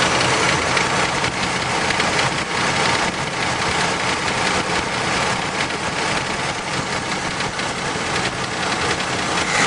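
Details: 1971 Pontiac Trans Am H/O 455 V8 at idle: steady, fairly regular engine knock, about three or four hits a second.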